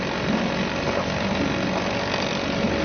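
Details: Suzuki DT 2.2 HP two-stroke outboard in a test tank, just started, throttle turned up a bit so cooling water jets out nicely; even busy buzz, no misses or knocks, running cleanly.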